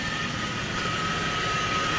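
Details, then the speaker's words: 2016 Chrysler Town and Country with 62TE automatic transmission, idling: steady high-pitched whine over the engine from a screaming transmission front pump; fluid found deteriorated, codes including P0897. "oh wow that pump pump is screaming okay let me get this cap off here so I can get a pretty good look at the transmission fluid but that front pump that's a thermistor front pump ladies and gentlemen"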